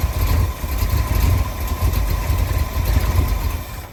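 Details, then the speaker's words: 1965 Ford F100 body on 1974 highboy chassis, supposedly crate 390 V8, after timing bumped up: deep lope with uneven surging pulses at raised idle; runs poorly, rebuilt carb floats suspected and rechecked. "Still kind of doing the same thing. I ended up pulling the carb back off of this thing, It just wasn't running right"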